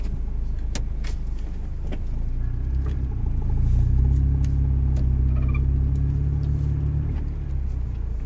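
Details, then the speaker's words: 1989 Honda CRX DX, D15B2 rebuilt under 500 miles earlier (after running on three cylinders), about 247,000 miles, driving up to 50: deep, even rumble rising smoothly under throttle then easing off, no knocks or misses; good pressure and temperature. "showing that uh the engine rebuild that we did worked it's running smooth good pressure good RPMs good temperature"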